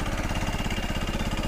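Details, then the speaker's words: CFMoto Fashion 250cc scooter after a valve job, valve adjustment and better oil, on its first ride with a rider: fast, regular tapping, about eight beats a second, over a lumpy idle. Slight engine knock, cause unknown. "let's see if it can take any kind of power with a rider here it definitely has a slight engine tapping though"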